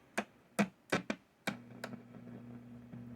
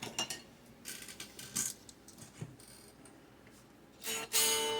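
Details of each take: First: 1962 Gibson GA-5T Skylark tube amp, reassembled with a Jensen speaker and what is probably the original pot: irregular sharp pops and crackles then a steady low hum; the cause is unknown yet, possibly the pot. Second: 1962 Gibson GA-5T Skylark tube amp after the pot and two coupling capacitors were replaced: after some handling noise a sustained guitar chord rings out clean and steady with no crackle or dropouts; the static problem appears fixed.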